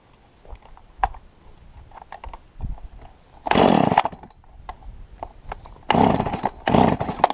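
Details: Stihl MS170 chainsaw that was bogging down, after bending the carburettor inlet control lever up about 2 mm: sharp full-throttle bursts rising crisply and holding under cut without sagging; normal cutting.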